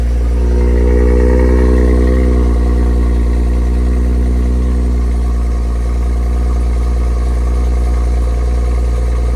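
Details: $1,000 junkyard BMW X5 on cheap temporary oil, just after a cold start: deep, even idle with steady firing and no knocks or ticks, settling and expected to quieten; normal cold-start idle.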